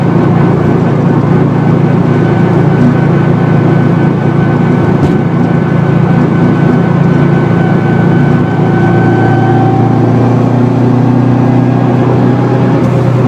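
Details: 2004 Subaru WRX STI on the freeway at highway speed: steady low drone with faint whine; failed wheel bearing worsening that day, bearings must be pressed in; humming is rear differential whine amplified by upgraded bushings and mounts.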